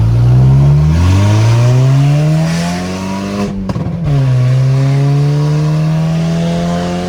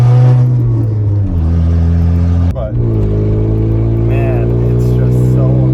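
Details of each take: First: Car with newly installed exhaust, replacing a setup with the catalytic converter broken off both pipes, recorded outside: deep, smooth rumble that climbs cleanly with each rev and settles back without rattles or leaks; healthy exhaust note. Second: Volkswagen Golf before exhaust repair: loud deep raw unmuffled drone swelling and dropping with revs, exhaust open where the cat pipe broke away; exhaust leak, later fixed with new exhaust.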